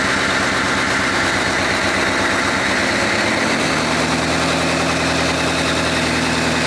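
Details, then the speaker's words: 6.5 Chevy turbo diesel in a GQ Patrol, runs after rebuild before dyno, after revving: busy even diesel clatter stepping down to steady idle, no misfire, sounds better than last time; normal idle. "Holy shit, that sounds better than last time. Yeah. Hey, no smoke rings."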